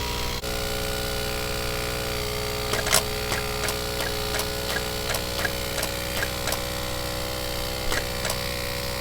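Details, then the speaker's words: Diesel engine, vacuum about -0.7: sharp irregular clicks over steady engine hum as the EGR valve clicks; EGR actuator working normally. "но очень медленно бог срабатывает хотя вакуум примерно -07 клапан egr щелкает слышно"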